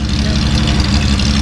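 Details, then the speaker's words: Datsun 280Z barn find, off the road 18 years, after fitting new injectors and O-rings: loud steady low rumble with an even beat, no misfire or popping; a little smoky at first, then cleared up, revs freely warming to temp, idling cleanly. "Oh, it's so much happier to rev. I know, it's running good now."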